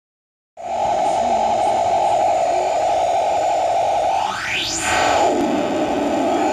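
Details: Bad PT2399 echo-delay chip in a noise circuit: constant hiss under a strong mid tone, then a whistle swoops up high and falls back, an accidental faulty-chip noise.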